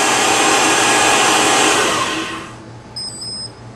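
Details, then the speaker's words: Shopsmith with DIY PowerPro upgrade, first run at 1350 RPM: steady even belt whoosh, no squeal or slap, then winds down; earlier rattle from unequal tension between the two belts cured by loosening the adjustment, now smooth and quiet. "So loosen this, the rattle goes away. There, now it's quiet."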